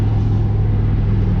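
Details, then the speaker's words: 1987 Buick Regal T Turbo G-body, freshly broken-in engine, on the drive after an S10 digital dash swap: a steady, even low rumble with no ticking or knocking; the valve train sounds smoother than before. "it seems a lot quieter like the valve train i guess not so much quieter but it seems smoother let me say it seems smoother"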